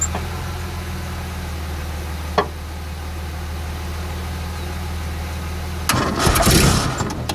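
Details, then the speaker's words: Renault R10 sitting over 20 years, day three of start attempts: slow laboured cranking around four beats a second over a low hum, never catches; owner thinks not enough power to spin the engine, possibly poor battery terminals, air leaks at manifold gaskets. "certainly wants to start but just haven't got enough power I don't think to spin the motor quickly enough"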